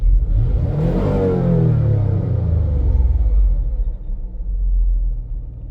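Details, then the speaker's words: 2003 Mazda MPV after throttle body cleaning fixed rough idle (earlier lean fuel trims): engine picks up quickly on throttle, falls back and idles steadily and smoothly without shaking, stumbling or dying; normal rev response. "the engine is running pretty good it's not shaking it's pretty smooth"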